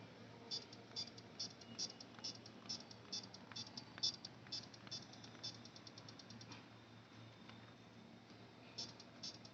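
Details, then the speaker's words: Buzzer-based remote control tester with its circuit opened: short high chirps about once a second answer each button press on a remote, showing the remote transmits properly. "आपको ये T T T T की sound सुनाई दे रही है ना, ये देखिए friends, ये साउंड सुनाई दे रही है आपको। मैं कोई भी बटन दबाऊंगा ना तो वहां से P P P P P sound सुनाई देती है।"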